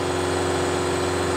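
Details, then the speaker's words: John Deere tractor hydraulics in a flow test at full throttle, with the oil at about 80 degrees: loaded through a flow-meter restriction to 1,000–2,000 psi, the pump holds just under 12 and then a little over 11 gpm, a steady hum with no cavitation. Normal. "still holding just under 12 2 000 [Music] still holding a little over 11. that's really good oh really good"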